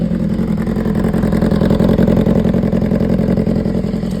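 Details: 2015 BMW S1000RR inline-four at 7.8K miles revving and idling, a fast, fairly even light tick riding over the exhaust note; top-end ticking, cause suspected but not confirmed.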